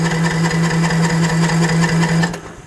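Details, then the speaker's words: Troy-Bilt TB42 lawn mower after carburetor adjustment, fuel on, choke on: starter spins engine fast and even for two seconds with no firing or compression puffs; earlier test showed little to no compression; crank, no start. "Yeah, so we're not hearing that puff noise coming from the engine. We already did check it earlier on, and it showed it had little to no compression."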